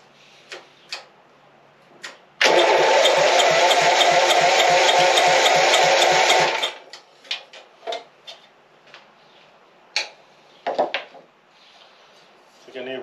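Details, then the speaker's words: Lawn-mower engine for go-kart project, carb cleaned of oil after mower sat tipped up, run without muffler: catches and runs about four seconds with harsh loud rapid crackle, unmuffled open exhaust. "Oh, I didn't put the muffler back on. Oh well, we'll try it without the muffler on. Let's try it with the muffler off first and then we'll try this thing."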